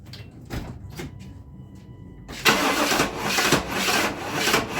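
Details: 1997 GMC Yukon 5.7 L V8: a few clicks, then the starter churns with a steady uneven beat about twice a second, never catching; crank no start, ignition timing found way over-advanced at the distributor.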